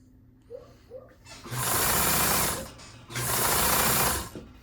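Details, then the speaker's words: Kenmore 158.523 sewing machine motor after repair, checked for over-tightness; two short bursts at speed, even smooth hum with no knocking or grinding; normal running. "Doesn't feel too tight. Overall sounds good."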